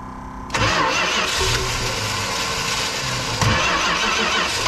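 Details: 1965 Plymouth Fury wagon, sat about 20 years in a yard, first start after purging old fuel, with a cam and Holley carb that has one side dry from a probably stuck float: catches at half a second into a loud, uneven lumpy idle with a blip near 3.5 s; runs rough.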